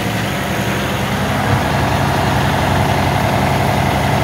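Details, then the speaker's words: Cummins X15 diesel truck with code 559 (low rail fuel pressure), running rough and shutting down intermittently: heavy idle with a slightly uneven, lumpy beat. Fuel restriction was fine at about 2.5 inH2O, but excess air bubbles showed aeration from a bad fitting. "but I did notice we had a lot of air bubbles so I'm just going to check for airation"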